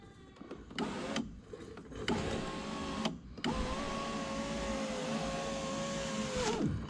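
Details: 2006 Mercedes C230, about 78,000 miles, after installing new window regulator to replace a broken one: smooth, steady motor whir in even strokes until stopping at end of travel, window working normally.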